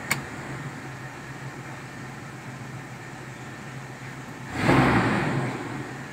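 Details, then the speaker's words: 1997 Toyota Kijang carburetor after Blackcore tuning, idling around 1000 rpm as the AC is switched off: smooth even low hum, no knocks or misses, brief whoosh at end; normal idle. "terus kita coba jadi pada saat masih hidup di 1000 kita matikan AC"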